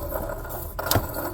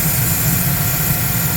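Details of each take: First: 2008 Chevy Silverado LT 5.3L with the belt removed via the 15mm tensioner: the water pump pulley spun by hand spins too freely, giving a loose, gritty rattle and a sharp clack as it coasts. The pump bearings are completely shot; the other pulleys are fine. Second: 2008 Chevy Silverado LT with the 5.3 L Vortec, after replacing a water pump whose pulley bearings were shot and caused knocking and rattling: smooth, deep, even idle with no knocking; running normally.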